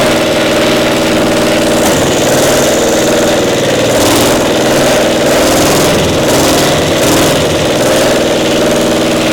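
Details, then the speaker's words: Caterpillar Diesel 70 small twin-cylinder petrol pony motor: uneven chugging, one cylinder weaker than the other and hitting intermittently, leaving gaps in the beat; failing magneto causing intermittent misfire on one cylinder. "It wasn't as strong on that one Right. cylinder as the other one. It's hitting intermittently like it's a spark."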